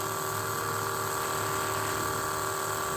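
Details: 1980 Trans Am nitrous system: Holley blue electric fuel pump, deadheaded; constant hum with light regular flutter, steady pitch, pressure creeping 9 to 11 psi over about 5 minutes. Sounds healthy.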